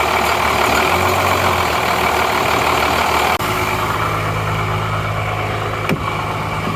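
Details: 12-valve Cummins diesel just started after nine years sitting: steady low idle with even deep hum, no knocks or stumbles; runs good, injection pump seems a little sticky.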